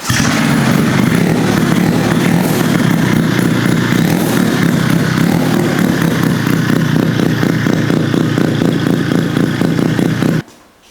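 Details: Rotary-engine-swapped Honda QA50 minibike, first start after six months unused with spark plug fitted: fast, crisp raspy rotary buzz holding steady for ten seconds before shutoff; runs clean, normal.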